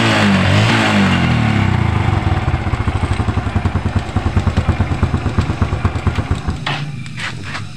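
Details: Honda Revo Absolute (DC ignition) small single running on a working kiprok (regulator/rectifier) after failing to start with a dead one; pulls cleanly with steady firing beat about three a second, revs rising and falling smoothly, running normally.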